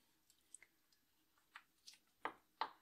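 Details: BMW E46 316ti N42 engine during timing chain, guide rail and front main seal replacement: a few sharp little snaps in a quiet bay as the VANOS solenoid connector is pushed home after the brackets are torqued to 10 Nm. Connector properly latched.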